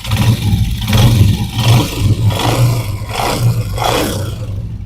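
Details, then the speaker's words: 125 motorcycle engine after fixing a noise by fitting an oversize ring/rubber so the pin no longer knocks: several quick, clean revs rising and falling with no knock or clatter, and the engine sounds healthy. "देख सकते हैं माशाल्लाह ज़बरदस्त साउंड हो चुका है।"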